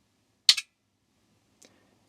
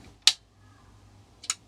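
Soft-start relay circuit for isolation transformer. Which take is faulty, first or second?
first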